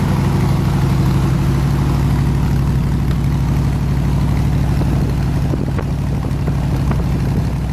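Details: 302 V8 air-compressor engine at operating temperature (160 degrees), 9 psi fuel pressure, re-ended plug wires: steady, even idle with a low smooth beat and no knocks, ticks or stumbles; normal healthy idle.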